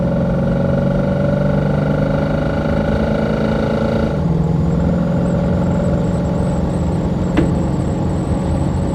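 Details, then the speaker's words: Holden HK with automatic transmission overfilled by about a litre and leaking fluid: deep, steady droning hum under the engine while pulling under load, pitch shifting partway; owner suspects overfull auto, torque converter or transmission pump, source unclear. "What the hell is that noise, world? I think it's got to be auto. Must be overfull."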